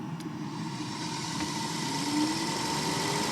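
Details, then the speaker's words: Electric cooling fan switched on by a KINGBOLEN K7 OBD2 scanner's bidirectional ECM actuation test: steady airy whoosh with a faint tone rising slowly as it spins up; fan working normally. "Hör ni kylfläkten? Kolla, jättebra."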